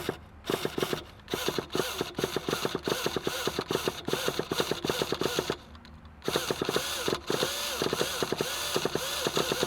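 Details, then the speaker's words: Traxxas Revo 3.3 nitro RC truck that sat 10 years, original glow plug: repeated popping bursts and whirring pull-start cycles with slipping, stopping several times before catching. Hard starting. "let's see if we have a hard time starting this thing like we did in the last video that was kind of strange see it's doing that slipping thing"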